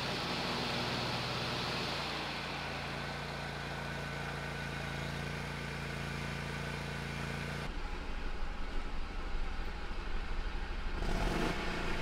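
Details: Hustler Raptor SD zero-turn mower after a seat switch fix and battery recharge (it had died when moved and bogged when the mower was engaged); the engine holds a steady, low, even drone with no stalling or bogging, normal running.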